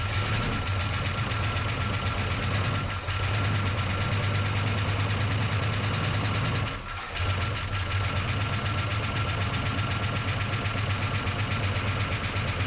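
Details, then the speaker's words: 1977 Dodge Charger Daytona, first start after sitting in a barn since 1992: steady idle with a light, fast top-end clatter; suspected it ran without oil once or oil isn't up top yet; no rod knock heard. "she's a little uh clattery in the old top end suppose somebody uh ran without oil before or just isn't up there yet I don't hear any rods knocking"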